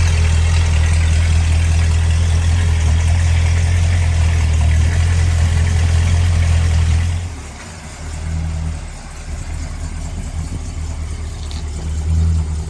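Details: 1968 Dodge Monaco 500 with 440 Magnum V8 on a new TTI exhaust with H-pipe and Dynomax street turbo mufflers: deep, loud, even rumble settling to a calmer idle, no knocks or misses. Healthy.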